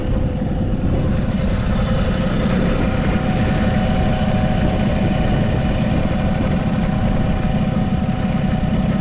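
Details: Vintage Honda Squash (AB11), 12V: a small two-stroke idles with a steady, quiet low putter and no knocks, rattles or abnormal engine noise; normal idle.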